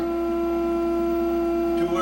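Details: Zenith 17D25 black-and-white tube TV on channel three test signal: loud steady low-middle buzz in the sound; filter capacitors suspected, cause unknown.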